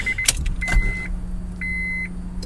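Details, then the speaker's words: Acura RSX base model with a turbo install, first start attempt after a no-crank problem: at key-on a low, even fuel-pump hum runs about two seconds under the door chime. This is a normal prime; rail pressure builds but then drops. "you can hear the fuel pump prime and all that we have pressure at the rail"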